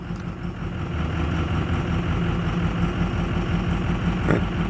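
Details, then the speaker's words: 2006 Ford F250 Super Duty 6.0 Power Stroke diesel idling in drive then reverse, not fully warm on a cold day; lumpy uneven chug, running rough; glow plug control voltage checked OK, cause unknown. "running rough let's go back to reverse boy that's running rough"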